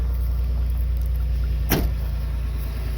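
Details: 1989 Chevrolet Celebrity base model, 205,000 miles, after battery reset and correcting tampered setup: low steady idle hum settling and holding even, one brief click midway; normal idle.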